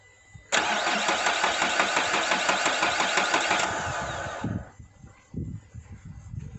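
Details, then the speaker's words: Renault Duster diesel, parked four days, cranks but won't start: steady starter cranking with even compression beats, never fires; high-pressure fuel pump makes no pressure at the opened common-rail union, pump choked by dust. "no, its not there's problem in fuel pump High pressure fuel pump is not making pressure"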